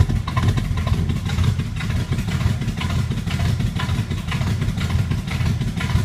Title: Camaro Z28 1980, 327 camshaft rough idle compcam kit K12-212-2